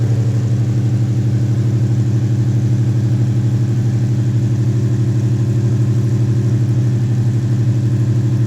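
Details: Coyote V8 swapped Foxbody Mustang with 2018 intake manifold, new tune, Roush intake, BBK longtubes, pump gas: deep steady idle with even low pulse, no misses, ticks or knocks; normal idle.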